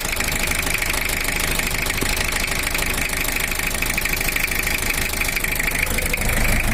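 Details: Toyota Kijang LGX with a 2L diesel. The owner complained of a compression-leak-like sound and a rough, uneven running note: a harsh uneven idle, a heavy knock about three per second and a hissy edge. Cracked pistons were found.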